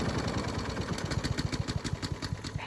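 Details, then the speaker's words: Honda HRN216VKA lawn mower run on TruFuel until dry for winterizing: steady small single-cylinder chug turns uneven, firing pulses stumbling and weakening as the carburetor runs out of fuel and the engine dies; fuel starvation. "Okay, so now it just started to die. Alright, so straight the gas. And you see, alright, so it is completely dry."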